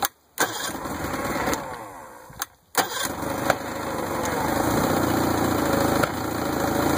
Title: 1964 Merc 650 backfiring